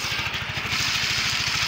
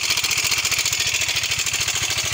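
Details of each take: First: Yamaha Mio 125 (Mio M3) scooter after replacing the faulty cam chain (rantai keteng) that caused a rough "kempletek" engine noise: now even, steady idle pulses with no rattle or clatter, smooth again as expected. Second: Yamaha Mio 125 (M3) with a rough engine noise and oil level OK: fast, light metallic ticking chatter over a steady idle. Mechanic suspects the cam chain and goes to adjust the tensioner.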